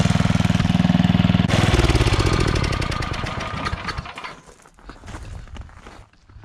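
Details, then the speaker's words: Coleman Powermate 5000-watt generator: heavy thumping about four beats a second that fades and turns ragged; only 80-something volts output, owner suspects spark plug. "so yeah on our voltage we're only getting 80 something so definitely not running right get a new spark"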